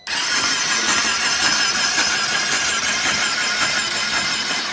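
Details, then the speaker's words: Flood-damaged 2020 Can-Am XMR 850 from a salvage auction, cranked to clear water. Fast, even cranking with no compression and a wet, spitting hiss as water blows out; gurgling traced to an undrained snorkel hose. Water in cylinders from flooding. "What's this gurgling up here? Is that water or antifreeze? Shoot, that sounds like some water in there."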